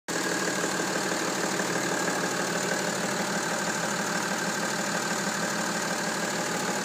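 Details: BMW M57 diesel at idle: steady clatter with a loose tick about three times a second; unidentified engine noise, source not pinned down by ear.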